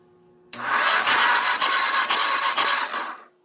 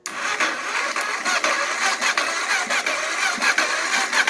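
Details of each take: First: Auction Kawasaki (titled 1989 KLR650; owner unsure, thought 1987 250), neutral safety switch/relay wires bypassed, powered only by a battery charger on low: about three seconds of steady starter churning that then stops. It turns over but never catches. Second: Auction Kawasaki (titled 1989 KLR650), starting fluid sprayed into the carb, charger on high (charger couldn't cope): ragged, uneven firing for about five seconds that chugs then dies. It has spark and fires on starting fluid.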